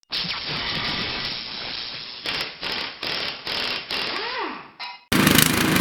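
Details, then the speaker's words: Toro snowblower engine runs rough, revs rising and falling in uneven bursts about once a second instead of holding speed. This is surging from a carburetor running too lean, common on new machines. "So, you see how rough this uh Toro snowblower is running here. This is a simple fix, guys. A lot of machines you buy brand new will do this. The reason for that is because these carburetors run way too lean."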